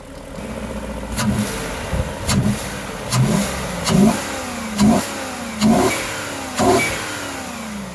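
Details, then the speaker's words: BMW V8 (M60/M62 family) started cold after sitting over a year; steady idle with a soft flapping burst about once a second as cardboard slows the fan; the viscous clutch slips as it should. "As you can see, the engine is idling, the engine is cold, fan is spinning. I'm going to try and stop it with a bit of cardboard. So if you can stop the fan with a piece of cardboard or newspaper, that it means that your clutch is working correctly."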